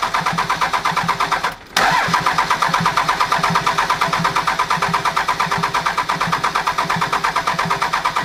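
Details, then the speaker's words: Non-53-block 24-valve Cummins diesel after faulty rocker arm found and bigger injectors fitted, first startup after bleeding lines 1, 3 and 4: catches and settles into an even, steady idle clatter, no misses or knocks; healthy idle. "basically she started up perfect probably took like two three minutes"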